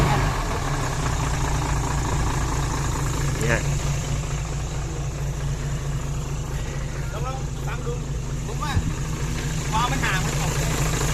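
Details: Hino Mega 500 J08C diesel after valve lash adjustment: steady, even idle with a low smooth rumble and no valve-gear ticking; the earlier clatter from excessive valve clearance is gone.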